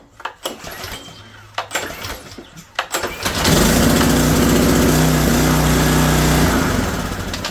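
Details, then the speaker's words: Kohler 6.5hp horizontal shaft engine on Simoniz 3000psi pressure washer, after carburetor cleaning for stale gas, started on choke on the bench: a few pulls, catches at about 3.5 seconds, settles into steady even run. "All right, so that sounds good."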